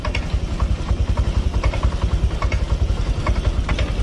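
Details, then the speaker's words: Honda Vario Techno 125 injection, stalling, poor response, coolant loss: uneven lumpy idle with loose chuffing beat about 3–4 per second, fuel pump pressure only about 20 PSI running; rough idle from low fuel pressure. "Nah, ini kebetulan gak mati nih. Cuma di angka 20 PSI saat kondisi motor menyala, mesin menyala."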